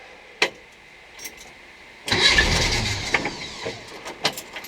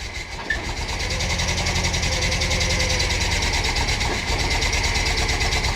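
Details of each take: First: VW Bus with 1600 engine, first key start after installation (previously no-crank issue): clicks and knocks, then it fires and runs with a rough, uneven patter; some leaks and rubs, suspected intake leak. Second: VW Bus with a freshly installed 1600 flat-four, first start in the bus: loud, fast, uneven idle with a faint hiss on top; owner suspects an intake leak causing the rough idle.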